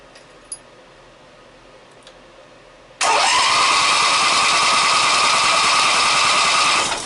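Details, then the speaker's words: Briggs & Stratton opposed-twin engine with dual carburettors and electronic ignition, new coil fitted; starter whines steadily for four seconds with no firing and no spark seen at the plug; cranks but won't start due to no spark. "again no spark well let me double check a couple things and I'll bring you right back it's a new coil should have spark"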